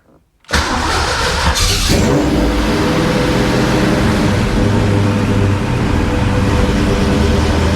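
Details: 1991 Fox-body Mustang V8 after AOD-to-Tremec T56 manual swap: short crank catches at once into steady even idle, no knocks or grinding; normal start and idle.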